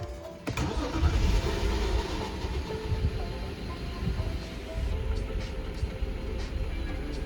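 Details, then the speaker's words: BMW 525i E60 3.0 petrol N53 engine after replacing the faulty part in cylinder 2 (misfire code 29CD, unstable idle, power loss): cranks, catches quickly and settles into a smooth, even idle, tach needle steady without the earlier tremor; normal start and idle. "as you can see the needle at idle is stable it does not have that tremor that it had before so in principle it has turned out well"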